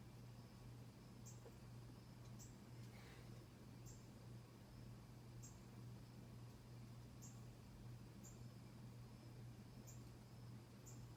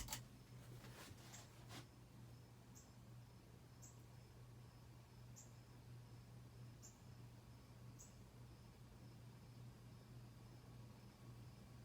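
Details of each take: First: 1991 Casablanca Delta II ceiling fan on high speed: steady low hum with faint regular tick about once a second; typical normal performance. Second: 1991 Casablanca Delta II ceiling fan running: quiet hum with faint tick about once a second from the light bulb filament rattling with fan vibration.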